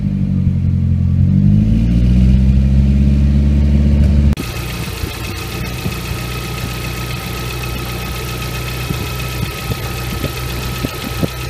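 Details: Nissan RS13U CA18DET after a cold start: revs drop to a cold idle with a light, steady tick about four per second that disappears once warm; owner suspects hydraulic lifters.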